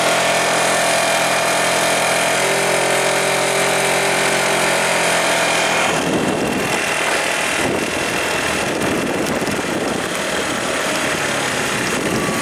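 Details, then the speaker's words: 2012 Tao Tao scooter after variator repair with a new pulley and roller weights, ridden under throttle: engine buzz with a light, tinny rattle over the exhaust note, coming from the muffler. Owner thinks it is the heat shield. "Kind of rattling coming from the muffler. I think it's that heat shield."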